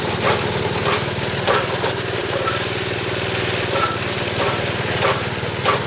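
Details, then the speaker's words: Snowblower small engine running after shaft reinstalled, belt refitted and bent parts bent back: uneven scraping rub about every second underneath; something still sounds bent, may need bending back or a new part. "all right I can't see over there but it sounds like it's bent still so what I'm going to have to do is going to have to put something on here to hold this down"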